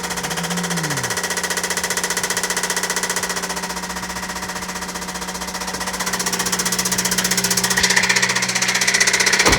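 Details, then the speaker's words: Toyota Celica with a newly installed JDM replacement engine knocking badly at idle, even worse than the previous engine: fast, even metallic knock about four per second over the engine note; bottom-end knock suspected, cause unconfirmed, engine likely needs replacing. "oh that's freaking awful that doesn't seem too bad but clearly that sound is horrible"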